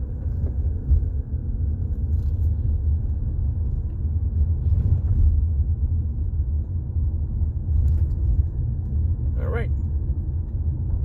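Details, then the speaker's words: 2018 Jeep Compass after replacing the front sway bar links that clunked and rattled over bumps, recorded near the floor while driving: steady low road rumble with no clunks or rattles over the bumps. "Quiet as a mouse. Customer will be happy. [Music] Doesn't sound like anything's falling off. Nothing rattling underneath."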